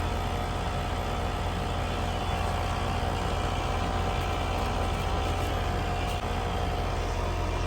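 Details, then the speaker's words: Home AC condenser outdoors: steady low compressor drone with even fan rush, never cycling off even with thermostat off, lines and coil frozen; runs constantly due to stuck contactor. "So, I think what's happening is my condenser is just running all the time for some reason."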